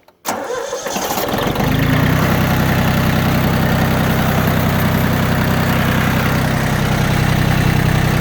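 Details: Yanmar F16D 4x4 diesel compact tractor, all fluids changed with new antifreeze and oil filters: short crank, catches at once and settles into an even, steady diesel idle with no stumble or knock, no smoke; healthy start.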